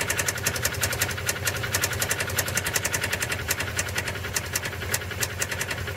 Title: subaru impreza sti стук двигателя